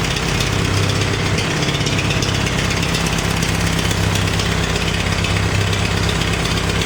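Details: Farmall 350 diesel tractor, freshly reassembled, block warm but temperature gauge low (owner unsure if thermostat missing or bad): heavy clattery idle with uneven, lumpy, skipping beat, missing on a cylinder; cracking number one injector didn't change the tone; under heavy lugging in 5th it fires on all four.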